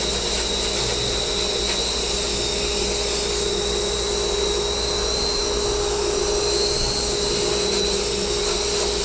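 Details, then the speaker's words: Dust collector added to a sandblast cabinet, running during blasting: smooth, constant whirring blower with steady mid tone and airy rush, no surging or rattles, pretty quiet; normal running. "But I can say that that dust collector's doing its job. You hear it's pretty quiet."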